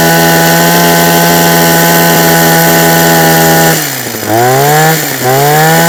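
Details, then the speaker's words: Husqvarna 123HD60 hedge trimmer, unused for a long time: high two-stroke buzz that holds, then sags and hunts as revs drop and recover; suspected carburettor diaphragm, not confirmed. "Okay, so based upon what it's doing, and it's not been used for so long, we'll have a carburetor off, have a look at the diaphragm, maybe a new diaphragm, and go from there."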